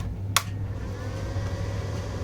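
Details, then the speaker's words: Cheap MMA 250 DC inverter stick welder, just switched on at rear: steady low hum with soft airy rush, no rattle or scrape; internal cooling fan running normally, drawing air through rear inlet. "Okay, so the fan works straight away. It's blowing a decent amount of air in."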